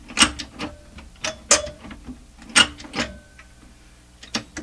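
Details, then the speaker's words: SP-600 communications receiver with rebuilt RF deck just installed, band switch just oiled: irregular scraping clicks and clunks, about one a second, while turning the band switch, mechanism seemingly binding; cause unknown. "Ooh, that didn't sound very nice. Ooh, what's all that?"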